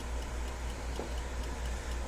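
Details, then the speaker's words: Westclox Big Ben alarm clock, cleaned and reassembled: crisp, even ticks at a steady quick beat, about four a second, with no stalls; movement runs freely. "Happy with that. Boy, she's just a purring away now."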